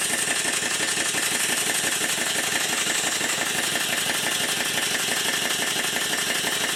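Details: Southworth duplex boiler feed pump running on compressed air after service, with steam oil injected into the inlet: steady chuffing about three strokes a second with a wet hiss, sounds strange from excess oil pouring out the exhaust.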